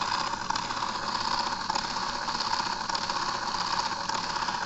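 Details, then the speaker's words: 12 V DC motor running on 3 V DC, driving a pulley and worm gearbox rotator with no load: steady, even whirring with no knocks or catches; rotator turns smoothly at a good speed. "This is a 12 volts DC motor running on 3 volts DC, just like my Mega Blaster Junior's rotator motor."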